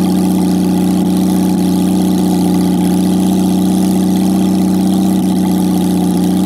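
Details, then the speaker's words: Jaguar XK6 inline-six after a junkyard rebuild, no exhaust, no radiator, in a homemade boat-tail speedster: loud open-pipe idle with a smooth, even beat and no misfires, knocks or stumbles; normal idle. "it fired up on the first attempt which was just awesome and it it sounds amazing when this thing's running with of course with no exhaust it's just awesome"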